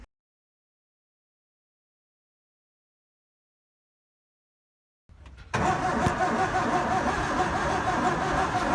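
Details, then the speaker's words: Second-hand 711M engine in a Mark 1 Escort, first start attempt with new coil, petrol and battery after starter solenoid fix: starter spins fast and evenly, whirring, never catches; compression low on three cylinders, fourth dead. "As you've seen in the video, the compression is low, so the car's compression is down. On 3 cylinders it's down, and on the 4th cylinder it's actually dead."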